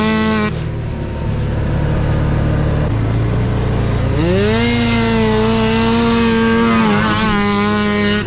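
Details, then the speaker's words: Yamaha YFZ450 custom chassis with swapped Arctic Cat F1000cc two-stroke EFI engine, first test ride; two-stroke buzz climbing lazily as throttle opens. Sluggish, groggy response; owner plans to fine-tune fuel pressure, cause unconfirmed. "she's got a lot of potential but she still needs a lot of work I'll tell you that all right she rips she's a little Loft she's a little groggy I thought she'd be more responsive but we'll fine-tune that with the uh with the fuel pressure and stuff"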